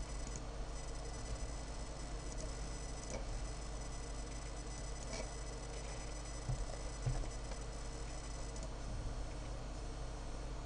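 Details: Dell Precision M65 notebook after mainboard replacement: quiet steady thin high-pitched whine with faint scattered ticking; new abnormal noise, source not identified.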